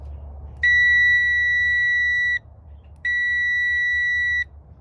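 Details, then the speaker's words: Multimeter in tone mode, leads across Ryobi 40 V mower power button: two clear steady high beeps under two seconds each as button pressed; switch closes properly, power getting through. "So what I'm going to do is I'm going to put a lead on each side. We have it in tone, so we ought to hear that noise."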